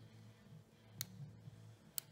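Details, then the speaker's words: Dremel 4000 disassembled for running rough then not turning on, power switch on circuit board tested: two crisp single clicks about a second apart in a quiet room; switch snapping over normally. "hear clicking so that's what it's supposed to do so it looks like looks like this should be working"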